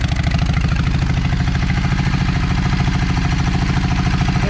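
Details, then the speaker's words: Yamaha V Star 650 at idle fires only on the rear cylinder. The low idle thumps about three beats a second, lopey and uneven. The owner suspects a clogged idle jet in the front carburetor. "Uh let's see. Let's go ahead and crank it that way y'all hear what I'm talking about."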